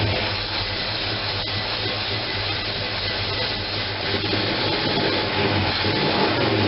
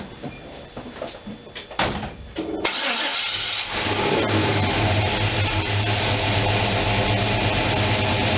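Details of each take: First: First run after gas tank install: engine runs uneven and lumpy with a wavering beat and breathy rasp, no leaks, because the manual choke was left fully closed; once opened it idles at 700. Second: After gas tank install and opening the manual choke that had been left closed, the engine catches after cranking and settles into a steady, even idle at 700 rpm with no hunting or missing.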